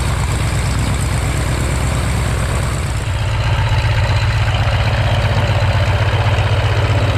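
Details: Warner Super Scarab 165 hp seven-cylinder radial on a 1933 Great Lakes biplane, first run in 54 years after 12-year restoration: deep, lumpy, even low rumble with no misses or knocks, settling into a steady healthy idle; normal idle.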